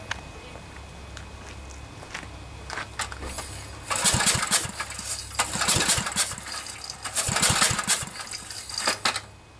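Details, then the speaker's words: Briggs & Stratton 10 hp generator engine with new spark plug, won't start: pull-start cranking with airy hissing puffs each stroke and no firing despite fuel and spark; compression escaping, blown head gasket suspected, later confirmed and fixed. "you see it kind of sounds like air is escaping somewhere so I'm beginning to think it might be a head gasket"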